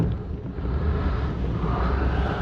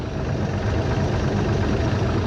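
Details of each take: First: 1973 Cobalt boat with Mercruiser 165hp in cold water, idling about 900 rpm with 20 psi oil pressure and temperature at 140: deep, heavy rumble with wind across the mic; the idle sits low and a bit lumpy. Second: 1973 Cobalt boat with Mercruiser 165hp, idling a little low, temperature holding 140 all day: low, steady, even rumble with no knocks or misses; a healthy, quiet-running engine, described as sounding cammed.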